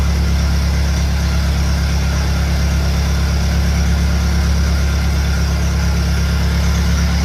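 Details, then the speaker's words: Engine on a cold day fitted with a 1956 Lucas D3A4 distributor, run briefly with no radiator or coolant; steady, even low rumble with no misses or knocks, running smoothly. "That's what I like. Stick a bit of metal onto an engine, make a few tweaks, and it comes to life. Definitely revving anyway."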